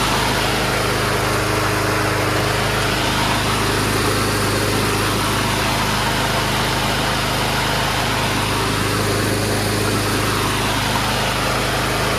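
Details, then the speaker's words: Curbside Power Smart gas lawn mower with a Loncin engine: smooth, even drone at steady speed with no surge, misses or knocks; starts right up and runs healthy. "it starts right up sounds good doesn't surge propulsion's very strong I will give it that because it's not gears it's friction disc and belts"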